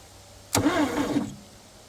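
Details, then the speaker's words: 1958 Chevrolet Biscayne straight-6 parked 40+ years, previously seized: single short, labored cranking burst under a second, engine turning sluggishly as if binding; battery suspected not fully charged though reading 12 volts. "Sounds like the battery might not have full charge to it."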